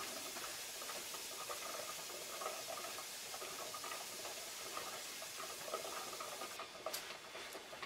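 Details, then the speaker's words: All-American 921 pressure canner at zero pressure after canning meatloaf, weighted gauge removed: soft steady steam hiss with faint ticking thinning out to silence; pressure fully released. "all right there's no more sound they're still gonna be steamed"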